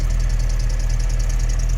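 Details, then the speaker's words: Car left idling about 20 minutes to charge the battery, alternator charging; rapid high chirping squeak under the car pulsing over steady idle; new belt fitted, tensioner ruled out, owner suspects the AC compressor, not confirmed. "okay nice I'm sure you guys can hear that squeak under there"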